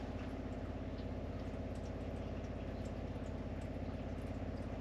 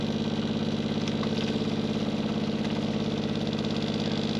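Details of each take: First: Caravan water pump after noise-reduction work, seating refitted, about 40–42 dB versus about 57 before: a steady low even hum with a smooth pulse and no mounting rattle; normal pump running. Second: Caravan water pump running: steady low motor hum with a fast even rattle about three beats a second; noise mostly from the pump vibrating against its mounting, pulling it away reduces it.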